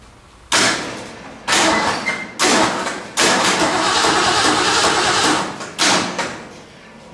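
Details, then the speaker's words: 1947 Ford truck rat rod, first crank by jumping the starter solenoid, oil pressure gauge fitted, no water in the radiator: short cranking bursts with a harsh rough rattle over the starter; abnormal noise, cause unknown. "that noise? Something making a noise, I don't like that. Try it again. Something making noise there, I don't like that."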